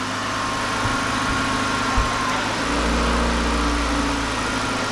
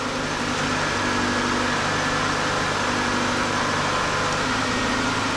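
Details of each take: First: 1993 Ford Escort LX 1.9 liter after clutch, pressure plate, flywheel, slave and master cylinder and rear main seal replacement with battery disconnected: smooth but fast high idle with a slight tone shift; ECU relearning, idle should come down. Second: 1993 Ford Escort LX, 1.9 liter 88 hp, start after clutch, flywheel, slave and master cylinder and rear main seal replacement with battery reconnected: steady, slightly high idle, smooth hum, no knocks; computer relearning after being unhooked, idle should come down.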